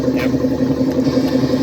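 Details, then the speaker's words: 1955 Frigidaire Unimatic washer on a small load of whites, timer manually advanced for less water, pumping out dirty water; a steady mid-pitched hum with a light even pulse: the drain pump running normally. "Now that stuff is dirty, and that sound is the pump running."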